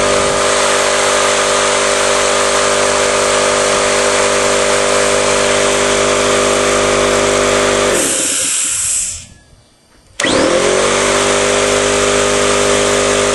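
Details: Steady, even motor drone and constant hum from a 20-gallon Campbell Hausfeld oil-less air compressor, stopping briefly then restarting smoothly; running acceptably after repair, though the motor mount and compressor tube still need attention.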